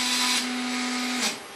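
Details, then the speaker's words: Stepper motor on a converted Epson LQ2070 dot matrix printer (vinyl cutter), x-axis at 2000 steps per second: steady buzzing hum with hiss, no vibration, then cuts off; motor straining at top speed. "now this motor seems to be unhappy at the highest speeds it's not vibrating or anything it's just making a noise"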